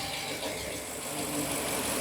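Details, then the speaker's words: 2017 Ford E450 with 6.2 petrol V8 idling evenly with a steady hum, no stumbles or knocks, after re-tightening a hose during diagnosis of a cylinder 3 misfire code; it sounds normal, though a slight misfire is still suspected. "el motor está trabajando bien verdad"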